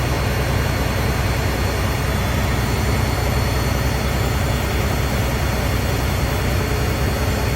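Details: Freightliner FLD, C15 diesel, just after an oil and filter change and a new fuel filter: deep, steady, even rumble with no knocks or misses and 60 lb oil pressure at idle. Normal running.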